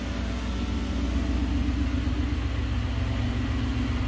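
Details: 1969 Gloria supercharged V8, first proper start, running with a blank-off in place of a catch can; deep, even idle with a steady low rumble and no knocks or ticks; engine sounds healthy.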